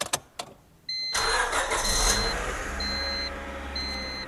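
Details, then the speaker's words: 1999 Honda Civic EK hatchback, first start after new timing belt, water pump, tensioner, coolant, spark plugs and valve adjustment: cranks, catches quickly, settles into a quiet steady idle with a chime in background; runs cleanly, sounds really good. "Woohoo! Wow, that sounds really good, buddy. Yeah, it does."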